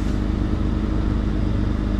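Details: 2004 Jeep Grand Cherokee 4.0 six-cylinder, crank-no-start after front-left impact, fixed by replacing a blown PCM battery fuse; now starts right up with a steady, even low rumble, no knocks, misses or surges; normal idle.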